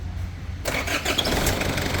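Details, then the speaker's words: Isuzu D-Max diesel that was hard to start because of faulty injectors. After injector repair and reassembly, a short crank catches within a second into a steady, even idle; it starts easily. "ประกอบเสร็จแล้วนะครับสำหรับIsuzud-maxตัวนี้นะฮะก็เดี๋ยวสตาร์ทดูก่อนว่าจะติดง่ายไหม"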